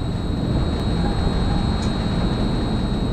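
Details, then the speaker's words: LG Multi V IV outdoor unit after compressor and inverter board replacement for CH29 over-current error; new inverter compressor just started while charging refrigerant, pressure rising: deep steady drone with faint constant inverter whine, no knocks or rattles. "Okay, I can hear the compressor started. Pressure's going up. This one's coming down."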